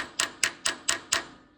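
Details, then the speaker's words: Thwaites dumper: five sharp, evenly spaced fuel pump ticks about four a second that fade as fuel comes up to the top; pump clicking against a dirty, restricted fuel valve with spring in the line. "Look at that little tappy tap tap. Here it comes up to the top again."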